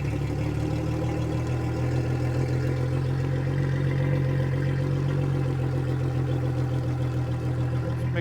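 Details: 2003 Yamaha 225 four-stroke outboard on flush hose after fuel flush: steady low idle hum at even pace with no misses or hunting; small miss when throttled, otherwise sounds pretty good.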